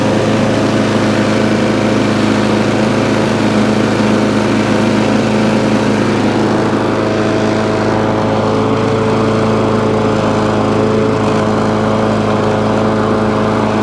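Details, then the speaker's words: Free scrap lawn mower, cold start after about 10 primer pumps to clear water, reportedly not running before: fired straight up, bit smoky, steady even drone with constant pitch, no misses or surging. "so straight away fire straight up bit smoky but it's not missing a beat"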